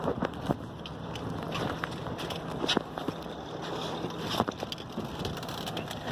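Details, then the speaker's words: BMW 535i idling about a minute after start, smoking and running rich: uneven idle with irregular stumbles and shaking, under wind noise; suspected bad spark plugs and faulty O2 sensors, unconfirmed. "Let's look at that idle. It's erratic, the engine is shaking. It's rough idle."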